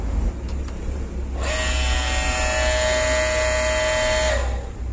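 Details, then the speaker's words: Hitachi CT 400 F jet pump, over 10 years old, on a deep well (about 30 m), weak water output: steady electric hum about three seconds with no spin-up, motor seems stalled, not turning; armature/rotor suspected, unconfirmed. "Hai kamu dari suaranya sepertinya tidak berputar atau mutar ininya aja ngapa Hai kumparan Pa angkernya itu teman-teman angkernya dinamo rotornya itu lekas bisa"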